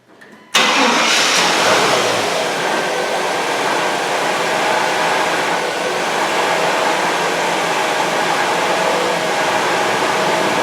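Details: 1999 Chevy Tahoe with a no-start and flickering lights from a ground-side voltage drop, after a ground is connected from block to body: a short crank, then it catches cleanly and holds a steady, even idle with no misfire.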